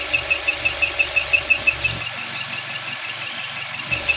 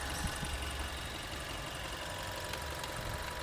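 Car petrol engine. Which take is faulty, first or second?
first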